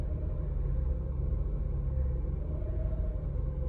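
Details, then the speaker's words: Mercedes E350 E-Class creeping forward at low speed: a deep, steady internal growl that sounds rough. The owner suspects the driveshaft and wonders whether the car is all-wheel drive. Unconfirmed. "can hear it like growling internally. All right, we are moving."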